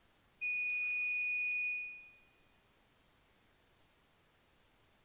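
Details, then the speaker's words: Multimeter on rusty ignition switch from 1950 Chevrolet truck, key on: one steady high beep about a second and a half, continuity, switch terminals connected. "continuity check beep beep so key on i have continuity"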